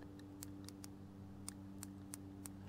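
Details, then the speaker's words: 1973 Honda CB360 on a jump box, spark checked before fitting a new cap by opening and closing the points by hand: sharp irregular snaps of about eight in three seconds over a faint hum show a healthy, strong spark. "all I'm doing is opening and closing the points and if you can't see it you can definitely hear it"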